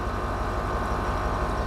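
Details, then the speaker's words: British project vehicle with transmission, hill descent and parking brake faults, after moving it: steady electric motor hum with even low pulse, no rattle or strain as suspension rises; normal air suspension compressor operation, leak overnight to be checked. "I can hear the air compressor working, and this has gone up."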